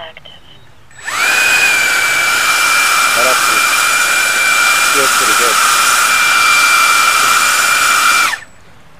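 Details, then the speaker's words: 10-blade EDF fan with cone, test run while balancing by moving the balance spot around the hub: spools to a steady, even high whine without pulsing or buzzing, then winds down. Feels and sounds balanced. "actually feels and sounds pretty good I'm going to mark that too"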